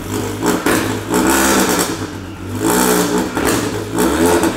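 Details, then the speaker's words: First free revs after fitting a new intake and intercooler: sharp rev bursts rise and fall about every 1.5 seconds with a loud, raspy exhaust note; coolant spilled earlier during the expansion tank change is burning off on the exhaust line, judged harmless. "Il y a moyen que ça gueule en aigu, ouais. Ça va gueuler, mec. Ça va gueuler fort,"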